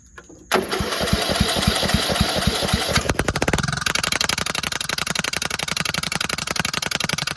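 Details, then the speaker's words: Cheap used riding lawnmower, engagement pulley spring missing: cranks and catches, then settles into loud, sharp, raw popping exhaust pulses at idle with the muffler not attached; exhaust leak from loose muffler. "But I'm gonna crank it up so you can hear the muffler not attached."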